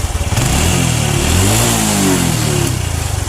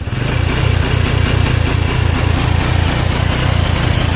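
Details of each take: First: Honda Revo motorcycle with a weak charging circuit causing stutter, here with the connector detached and still running normally: engine fires and revs smoothly, settles with an even beat, no misses or pops. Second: Honda Revo motorcycle running with a battery: low, uneven engine beat that stumbles and surges, stuttering (brebet) after 5–10 minutes, traced to a weak charging circuit; dim lights and slow starter suggest a dropping battery.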